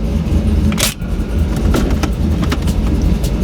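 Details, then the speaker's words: 2002 Camaro SS V8 idling after a long drive, tuned with HP Tuners to an 850 rpm target to fix a high idle that was previously about 1,100 rpm; low, steady burble holding 825 to 870 rpm with a couple of brief clicks; normal idle. "right now I'm sitting at about 850 that's what I commanded it in the that's what the target I'd target idol that I set with the HP tuners yeah we're holding it right at it's probably bouncing anywhere between 825 and 870 it looks like I'm happy with it"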